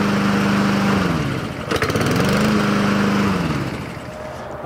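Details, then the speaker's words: Husqvarna push mower with auto choke that sat a long time and would not start, running after carb cleaner was sprayed: steady hum, brief sag, then even running; oil dipstick smells of oil, no fuel. "that carburetor was dirty i think it just has been sitting a long time and a little bit of carb cleaner was able to help it kick into gear here"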